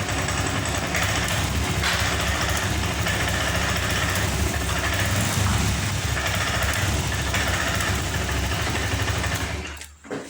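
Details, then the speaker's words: Honda Vario 125 FI scooter that will not rev, after ECU reset and fault code erased: engine runs roughly at low speed, never picks up rpm, then cuts out; still stumbles and will not rev. "Oke bos, ternyata setelah kita reset dan kita hapus sebuah kode kerusakan yang tersimpan di memori ECU motor ini, namun walhasil motor masih tidak bisa digas."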